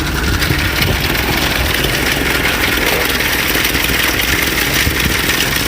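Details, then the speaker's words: 1930 Ford Model A flathead four-cylinder, updraft carburetor, rebuilt distributor and carburetor, new wiring, idling with timing lever halfway down. Steady, even idle with no misses, knocks or ticks; runs smoothly. "That adds some timing to it so it runs and idles nice and smooth. On cold starts, we got the choke lever right here. But all in all, it runs pretty good. I like it."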